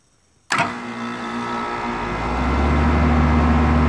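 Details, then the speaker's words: 4-ton AC compressor starting after a CSRU 3 5-2-1 hard start kit install: sharp start, then a steady low hum that firms up with no stalling; inrush/LRA dropped from 124 to 74.1 amps. "I wanna see what the end rush and or lock rotor amps are as soon as it kicks on"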